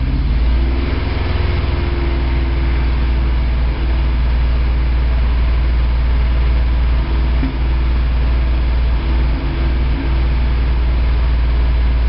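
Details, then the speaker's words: 1987 Toyota 4Runner, high-mileage reman engine, cold start first thing in the morning, clutch in, then throttle blips: rough, lumpy idle with an uneven beat and stumbles, as if on 2–3 cylinders, still misfiring after 3 minutes. Cause: cheap head gasket leaked coolant, cracking the aftermarket head and fouling plugs. "So that was running for like 3 minutes and it was still misfiring."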